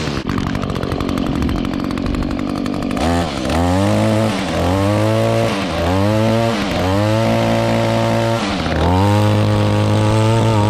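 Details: 2016 Echo GT-225 curved-shaft trimmer, 21.2cc two-stroke, cold-started with choke and primer pump: crisp buzz catches, revs rise and fall about five times, then holds steady high speed; runs clean and strong.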